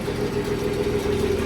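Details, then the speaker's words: Cold start next day after exhaust pipe fix and new spark plugs, radiator and alternator not yet hooked up: steady, even idle with smooth low hum, no rasp or blat, much quieter than before; normal idle. "Nice and quiet. It was so loud before, you could almost not stand it."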